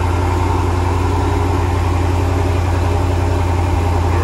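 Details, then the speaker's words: 2013 Dodge Challenger 6.4L: consistent single-cylinder misfire at idle, cylinder 3, faint regular stumble three or four times a second; dead cylinder from collapsed lifter holding exhaust valve shut. "And they're saying it's got a pretty consistent misfire at idle. Oh God. Feels like a single cylinder miss. Yo, you can feel it all right. You can hear it a little too."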